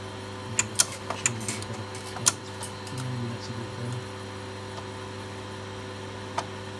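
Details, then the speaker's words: Megastor with 8-inch floppy drives copying A to B: sharp irregular clicks from the old drive's head load mechanism over a faint steady hum; the BASF drive is much quieter. A bad sector seemed to recur. Normal head load clicking. "Clicking going on, that's the old drive head load mechanism. And then the BASF drive, by contrast, is much quieter."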